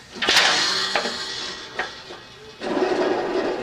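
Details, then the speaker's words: Hustler 54-inch ZTR mower deck, 350 hours, belt removed, spindle spun by hand: few handling clunks then rough, gritty, really noisy whirr; spindle bearings worn out, customer complained of grinding; bearings to be replaced. "hear how noisy that bearing is that's really noisy the bearings are just wore out in that spindle"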